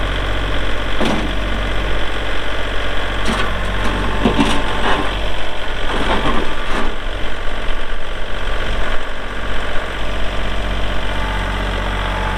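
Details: 2022 Kubota L3901 4WD hydro compact tractor diesel, 219 hours; steady low diesel clatter at idle, even firing rhythm with no misses or heavy knocks, a few handling bumps: normal healthy idle.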